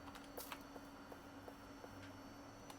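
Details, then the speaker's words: Macintosh Color Classic II analog board with leaking capacitors, powered with a known-good logic board: faint quick flip-flip clicks about three a second; power supply cycling on and off, not booting. "Yeah, it's flipping. It's making like a flip flip flip flip flip flip noise."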